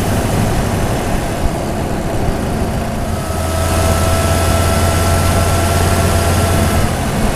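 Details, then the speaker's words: Supercharged Toyota Tundra with a TRD air filter replacing K&N, mic hung in the engine bay over the airbox, driving and most evident when getting up to speed. Deep engine drone with a thin steady whistle as it pulls harder. Intake air filter whistle. "there is a heavy duty whistle coming out of that thing speaking of heavy duty the engine actually sounded like a tur turbo diesel with that whistle going on"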